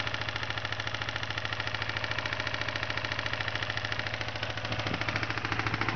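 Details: 1992 Kawasaki Ninja 250 at idle: steady, even knock about three to four times a second, growing slightly as revs rise, from bad rod bearings.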